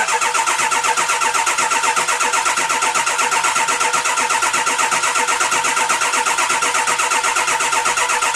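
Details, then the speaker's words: 2002 Ford F-350 7.3 Powerstroke after a coil-spring axle swap and oil pan reseal, starter refitted in the correct orientation: steady rhythmic cranking about two beats a second with even pulses, not yet fired. Long crank. "let's try that again with this starter orientated in the right way and see she fires up I'm sure she's going to take a little bit of crank in here"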